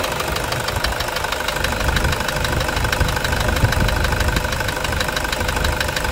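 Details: Toyota Hilux 2.5 diesel at idle: a sharp, even knock about three times a second over the normal clatter, starting only after warm-up; owner suspects an injector, cause not confirmed.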